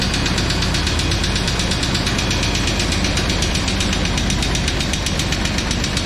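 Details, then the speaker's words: 1999 Chevy Tahoe, first start after sitting 14 years, fresh fuel, about 60 psi oil pressure, smoking: hard, rapid metallic knocking about four times a second over the idle; blown engine with a rod through the block. "well I think we figure out why they park it like got a rock coming out"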